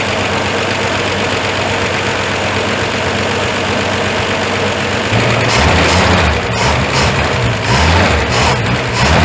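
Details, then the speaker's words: Ford Fairmont first run after 35 years, no accelerator, smoking heavily: uneven, stumbling idle with dropped beats and loose knocking over the rumble. Timing set too far advanced is backed off, and carb tuning reduces the miss. "it still got a wee bit of a mess every once in a while but I ain't going to worry about it"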